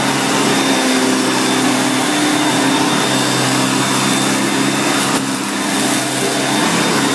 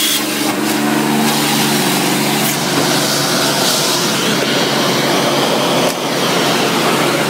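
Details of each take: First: 1990 Electrolux 616 Electronic (Z616AE) vacuum cleaner, bought used and cleaned, running during edge-cleaning test: steady, even high-pitched motor roar, no surging, rattling or grinding; motor runs really good, normal running. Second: 1990 Electrolux 616 Electronic (Z616AE) vacuum cleaner, motor otherwise runs well: steady motor whine with a rough, gravelly growl and faint rattle underneath; worn brush roll bearings rattling and vibrating while using the tools.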